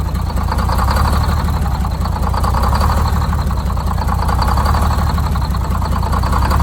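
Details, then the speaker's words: Detroit Diesel 6-71 two-stroke, first start after new 4-valve head and Davco 382 fuel filter install, valve cover off so not revved: steady, even low rumble, no misses or stumbles; idle set via buffer screw, good oil pressure; normal idle. "but it evened out pretty good there. Got the idle set."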